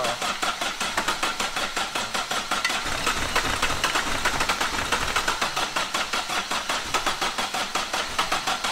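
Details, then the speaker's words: Astra van rescued from scrapyard, freezing cold, first start after battery and coolant fitted: even cranking about five or six turns a second without catching; cranks but won't stay running, battery later found only 11 volts. "so after about four hours of messing on we think we've actually found why it won't start and stay running obviously a run can over but it's not uh revving up"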